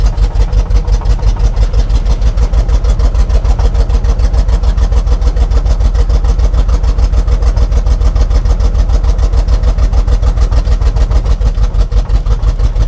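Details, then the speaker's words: 1976 Chevrolet K20 3/4-ton 4x4 farm/plow truck, V8 sat for years; lumpy, uneven low-rev chugging, violently shaking, never settles. Faulty carburetor suspected; fuel ball shot from exhaust, raw gasoline leaking, plugs likely fouled, possible vacuum leak. "Guarantee you pretty much they're all smoked because uh I just shot a ball of fuel out of the exhaust. And there's raw gasoline running out of this side."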